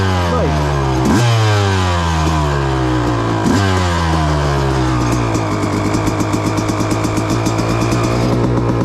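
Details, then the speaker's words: Suzuki RM250 two-stroke with new Lectron Pro Series carburetor, cold start: a few throttle blips, then burbly idle popping unevenly about four times a second; rough, rich-sounding cold idle, suspected rich jetting, not confirmed. "A very nice idle. All right, let's go get the old legs loose on something. Take off. A little rich still."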